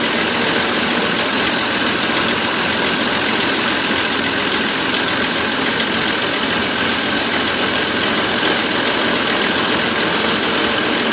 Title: Van misfire